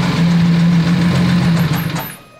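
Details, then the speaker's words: Lamborghini Aventador V12 just started, oil pressure good, mic moved down near engine; lumpy uneven idle with light ticking; owner suspects a cylinder head problem or worse, bottom end. "so if you come down here I can hear that there's a ticking so what that tells me is that there's probably something going on in the cylinder head or Worse the bottom"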